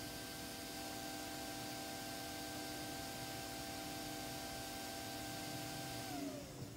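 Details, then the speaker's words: RockPro64 board (mutley) booting Slackware AArch64 installer, no network cable: steady high whirring fan hum with fixed tones for six seconds, then winds down and stops cleanly; fan automatically turned off, normal. "The fan has automatically turned itself off."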